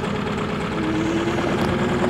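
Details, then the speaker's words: 2019 New Holland L218 skid steer, Shibaura N844LTA 4-cylinder 61 HP turbo diesel, 2,550 hours: rough, uneven, lumpy idle, seemingly running on two or possibly three cylinders. It also pops from the intake at shutdown; valve train or timing issue suspected, not confirmed. "Drive functions two-speed can see there again feel it's running on two cylinders possibly three"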